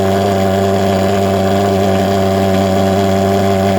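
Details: Vectorfog H100SF gasoline pulse jet thermal fogger on VP Racing canned fuel, fuel valve wide open: loud, steady buzzing roar with unchanging pitch; firing cleanly, normal steady running.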